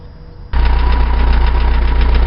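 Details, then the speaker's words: Engine with carburetor main jet downsized and redrilled (170), just reassembled; catches at once and settles into steady, even low idle, no knocks or misses. Normal idle. "Okay, she's back up and running. She sounds good, but we won't know if we got the main right until we go for a drive."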